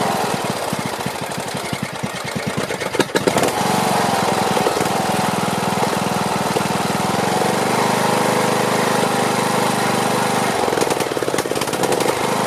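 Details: Briggs & Stratton Platinum 21hp mower engine after topping up oil, old air filter on: cranks, catches and settles into loud, slightly uneven running; owner plans carburetor cleaning and tweaking.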